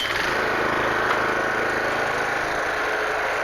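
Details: Toro Greensmaster 1000 reel mower, original Kawasaki single-cylinder engine, started with one pull: steady even putter with no misses or rattles; idles cleanly.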